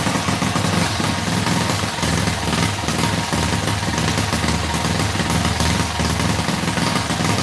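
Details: Freshly rebuilt Predator 212cc single-cylinder: uneven, lumpy idle with irregular stumbles, just started after flooding; builder says carb jetting is way out of whack and plans to open the carburetor to reset it.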